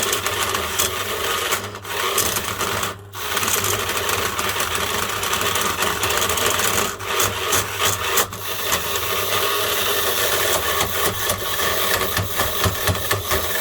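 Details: Sewing machine motor run on 400V: harsh steady rasping grind with brief dropouts as it runs on, the bearing mechanically breaking up before the motor finally dies.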